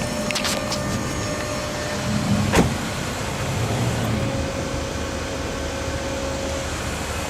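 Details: VW Touareg air suspension compressor after replacement of the old pump, which ran constantly and threw a suspension warning: steady, even hum with a constant mid-pitched tone as it raises the car; smooth, no rattle or strain.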